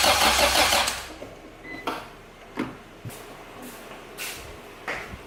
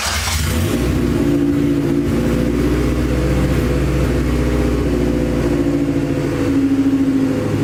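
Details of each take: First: Acura Integra crank-no-start: starter churns about a second and the engine never fires; fuel pump primes, but test light shows no spark at the plugs or ignition coil. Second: Acura Integra first start after crank, no-start trouble: catches after a brief crank and settles into a steady, smooth run with a few throttle blips, no misfire; run only briefly, no coolant in system.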